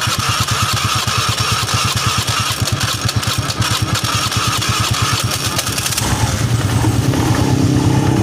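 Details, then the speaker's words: Honda Vario 110 FI after repair for a wobbling crankshaft (worn left bearing housing rebushed, crankshaft trued on a lathe): even, quick firing at idle, then a clean rise in pitch on throttle with no knocks; smooth and back to normal. "so the sound was smooth again. Bro, it's back to normal."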